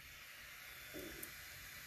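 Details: Creality Ender 5 Pro cooling fan after oiling, at 24 volts from the power supply and drawing about 50 mA: even airy hiss at full speed with no rattle, ticking or grinding; runs smoothly.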